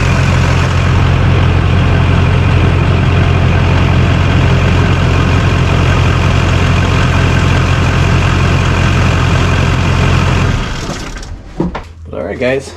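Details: 2001 LB7 Duramax GMC Sierra crew cab dually, already warmed up, after a larger transmission oil cooler was installed: a deep, even diesel idle with a steady low rumble and no knocks or misses, then shutdown. It is running healthy.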